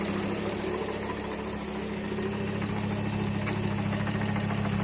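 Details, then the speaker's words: First start after front end and driveline removed and refitted: steady idle with an even metallic chatter about three times a second, normal gearbox/flywheel rattle that grows louder as the gearbox oil warms. "better hear the flywheel Dinka Dinka baby as it warms up in the gearbox oil gets runny that'll get louder that's the noise everyone's talking about"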